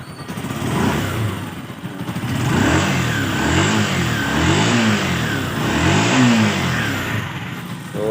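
Small single-cylinder engine blipped up and down several times, rising and falling smoothly without misfire; sounds like it's running right now.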